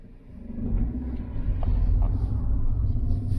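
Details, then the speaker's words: Fiat 500 1.2 petrol, an auction buy, driving with a light clutch: steady, smooth low engine rumble with no knocks or rattles, engine sounding sweet as a nut. "but the engine itself sounds like i say sweet as a nut"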